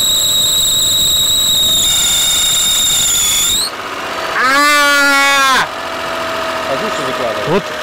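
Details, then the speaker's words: Mitsubishi Galant 8, 6A13 V6, first start after rear-head hydraulic lifter replacement: high thin whistle then sharper rising and falling squeal; alternator belt intermittently whistles. "только запуске испортил нам ремень генератора которые время от времени посвистывает"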